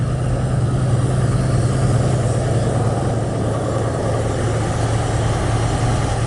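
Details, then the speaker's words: Ford with newly installed carburetor, cold start at about 65°F: low, uneven idle that lopes and wavers; carb still needs adjustment, loose vacuum fitting found behind the choke. "it needs to be adjusted a little bit and uh sometimes like the first time we tried it it sounded like it was stuck in here"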